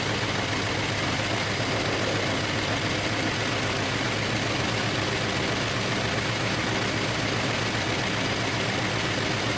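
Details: 2013 Infiniti G37 idling after codes were cleared: a rough idle with an irregular stumble and uneven exhaust beat, a misfire that comes right back. A parts store blamed the ignition coil; cause unconfirmed.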